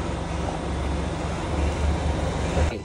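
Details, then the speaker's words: 2019 Kia Niro Hybrid, vehicle in ready mode, engine clutch fluid bleeding run through a scan tool bidirectional function: steady low electric pump hum for under three seconds, then cut off; engine clutch hydraulic actuator engaging and working normally. "that what you're hearing is with the bir directional function I am engaging the engine clutch you can see so by so by gravity and by hydraulic force of the motor"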